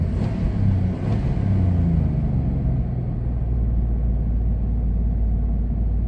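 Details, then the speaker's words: 1999 Dodge Durango SLT, revived after sitting 14 years, after a highway drive: deep, steady rumble idling high at 1500–1600 rpm and staying high after restart. Throttle is not stuck; the idle air control valve is suspected. High idle. "And now I pull in here, and we're at 1500 RPMs idling."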